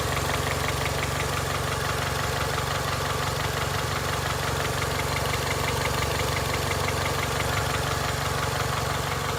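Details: 2002 Honda Accord, 260,000 miles: idling petrol engine with a steady, regular knock about three beats a second; owner unsure whether it needs a valve adjustment or has rod knock: engine knocking at idle.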